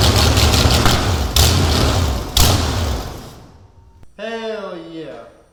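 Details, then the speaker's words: Big block Chevy jet boat first start on a jump box with starting fluid: loud deep V8 rumble with heavy uneven pulses for about three seconds, then cuts out; normal running. "But it runs. That was badass."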